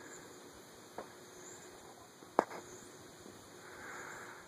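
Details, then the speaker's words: Modern Fan Co Industry stack-motor ceiling fan rated 1 A on high, drawing 0.28 A on low: few scattered thin high squeaks over soft hum, suspected stuck balloon debris inside housing. ".28 and I definitely hear a little bit of stuck balloon in there. You can hear it squeaking."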